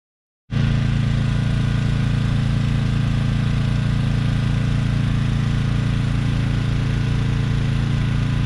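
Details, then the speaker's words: Briggs & Stratton Storm Responder 5500/8250 generator after carburetor replacement, powering a camper and able to pull the well: steady, even low drone with no surging, knocking or hunting; running normally under load. "Alright, got this thing set up and it's powering the camper. I put a bigger load on it, it'll pull the well."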